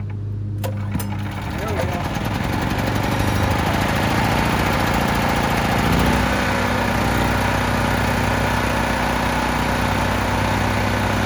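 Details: 10,000-watt (8,000 running) generator that sat outside for years in mud and weeds, with water and mud in the air cleaner box, starting after cleanup; catches after a short crank, then settles into a steady, even drone at constant pitch; runs great.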